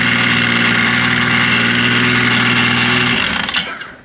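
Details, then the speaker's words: 2005 Yamaha Vector snowmobile idling with clutch cover on: busy metallic rattle over the engine note from the primary clutch, a known factory rattle never fixed with the factory repair kit. "but these hear that rattling that's what rattles so let's let's listen to it now with the cover on"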